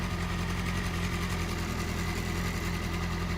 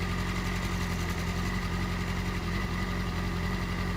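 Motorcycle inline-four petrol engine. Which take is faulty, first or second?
first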